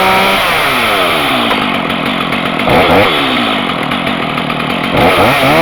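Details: Stihl MS250 chainsaw with 18-inch bar, after cold start, chain brake on: small two-stroke fires and holds a crisp steady buzz with a couple of clean blips, no misfire or bogging. Normal healthy running.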